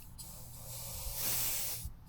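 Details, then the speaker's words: Blow-off valve bench-tested with boost pressure applied: steady sharp hiss swelling then easing as air escapes; diaphragm inside is leaking a little, and the supply line may also be leaking. "You can also hear that diaphragm in there is leaking a little bit."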